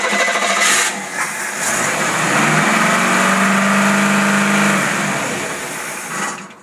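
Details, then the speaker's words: Autolite 4100 carburetor bench-tested on a running engine before rebuild, cranked with manual choking: catches and holds a fast raised idle; idle speed screw set way up, likely to mask a vacuum leak on its previous engine. "they had the idle speed cranked way up which indicates whatever they had it on something defective"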